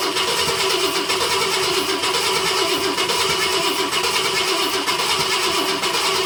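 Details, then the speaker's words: 1966 Ford Galaxie 500 XL, 390 FE V8, first fire after a 4-barrel carb and intake swap: steady cranking with a slow chuff about once a second, never catches; fails to start, fuel covering the intake. "All right, well, that was definitely a first attempt and fail. Covered the intake in gas."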